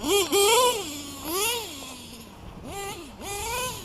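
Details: LRP .32 nitro engine with Novarossi race carb, first run of the day: thin high scream swooping up and down with each throttle blip, revving sharp; owner thinks the high-speed needle is a little too lean.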